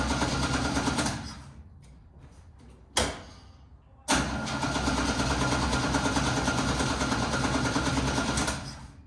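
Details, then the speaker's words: 1969 Chevrolet C10 inline-six, restart after stumbling and dying, points and distributor cap previously cleaned: starter churns steadily with a cough or two but never catches; likely the same ignition problem as before, unconfirmed. "Well, good thing we didn't go too far because it doesn't want to start back up."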